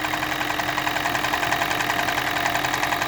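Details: Toyota Prius 20, 1NZ-FXE, knocking and burning oil, at idle: a fast, fairly even tapping of three or four a second over the engine hum, with no misfire; the source is suspected near the valve cover, not pinned down.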